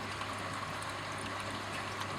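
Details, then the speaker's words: Reef tank overflow drain after fitting a Durso standpipe with a small hole drilled in the top, replacing a previously very noisy drain. Only a soft, steady trickle of water with no gurgling or slurping; it now drains quietly. "it's very quiet, it's really quiet. So basically I got the design from Durso standpipes, and I drilled my little hole in the top over there and put it all together, and it amazed me just how much it made the system totally so much quieter."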